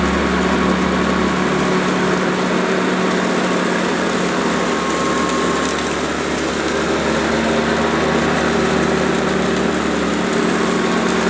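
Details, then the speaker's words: Hoover Decade 80 upright vacuum with freshly fitted new belt, cleaning carpet on shag setting: steady motor drone with brush note sagging and labouring; high suction pulls the carpet up and stalls the agitator brush. "well I think I've got a little bit of a problem here because the suction power is so high it's pulling the carpet right up even on shag mode and it's stalling the brush"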